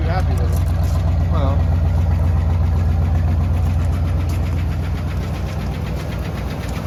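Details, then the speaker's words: Buick boat-tail Riviera, long-time owners' daily driver, first start after purchase: steady idle with a light, fast, regular tick over the low rumble, suspected loose lifter or similar valvetrain tick; oil level and quality not yet checked. "foreign and it sounds like a loose lifter or something like that to me a little tick"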